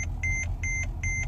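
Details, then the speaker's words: Mercedes-Benz E-Class brake system failure: sharp high chime repeating about 2.5 times a second over low engine rumble; ABS light on, car won't move; dash shows reduced braking effect, longer stopping distance, start engine; cause unknown. "when I turn it off it's saying reduced braking effect start engine longer stopping distance start engine"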